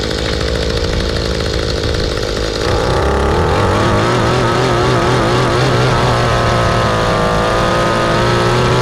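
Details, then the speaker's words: Mantis two-stroke rototiller after carb cleaning, a new fuel line and spark plug, limiter caps removed, low screw under a turn out and high screw about a turn out: steady buzz that picks up cleanly to a higher even speed and holds; runs properly. "so the trick really was pulling those screws out here cleaning those out you run these all the way in afterwards"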